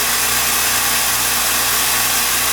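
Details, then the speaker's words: California Air Tool compressor after home repair of a factory defect that failed it at about five hours of runtime: steady even hum and hiss, no knocks or rattles, quiet and building pressure; repair successful. "success if the pressure builds up you can hear it is a quiet compressor"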